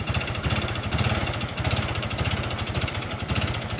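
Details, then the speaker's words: Honda Wave 125 motorcycle, connecting rod previously rebuilt once, revved slightly: rapid, even hard metallic knock on every crank turn over the idle; connecting rod/crank failure, engine to be opened and parts fully replaced. "แค่นี้ก็รู้นะนี่เสียงก้านก้านกลางมันพังครับ"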